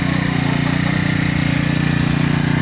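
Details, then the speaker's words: Freshly assembled Honda GX35 four-stroke gasoline grass cutter, cover on: steady fast idle with even, unbroken firing pulses, no misses or knocks; runs clean and healthy. "Gumagana. Ayun. Pagay na natin itong kanyang cover. Yan, umaandar na siya."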